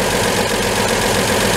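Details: 1949 Chevy 3100 with its worn 216 inline six, during preventative maintenance: steady, even idle with a low continuous rumble and no irregular knocks; the engine runs smoothly.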